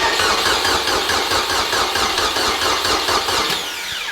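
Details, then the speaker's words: Honda K20-swapped turbocharged Civic, first start on a booster pack, fuel pressure rising to 42 then dropping just under 40: starter whirs sluggishly at about two turns a second and never catches. Slow cranking; cause suspected, not confirmed. "we're gonna need that booster pack oh yeah we are okay ready i'll crank it"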